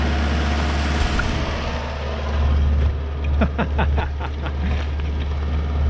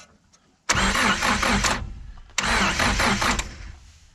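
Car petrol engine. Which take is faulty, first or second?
second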